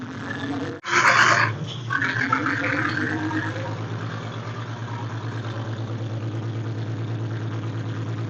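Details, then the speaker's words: 1946 International truck after 50 years sitting, first start after wiring generator to regulator for its new 12V charging system: rough idle with a light, uneven rattle from the loose generator fan, fixed by taking the pulley off and adding a washer. "okay the sound was the rattle of the fan on the generator it was loose so we had to take the pulley off put a washer on it put it back on and that ended up fixing the problem"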